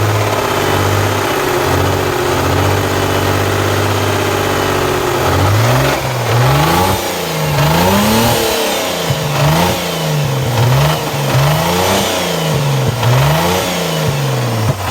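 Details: Mazda RX-8: rough, clattery idle for the first few seconds, then repeated throttle blips rising and falling. Rattling from the engine, source unclear.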